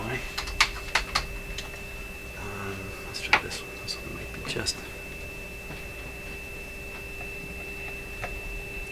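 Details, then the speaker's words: PYE Model 762 shortwave receiver (about 70 years old), final alignment after switching to a bigger screwdriver: clean steady tone, no drift or crackle, under a few knob clicks; trimmer tuned for maximum meter before RF trimmers. "just i think i got it that time [Music] bingo tuned for maximum meter there we are"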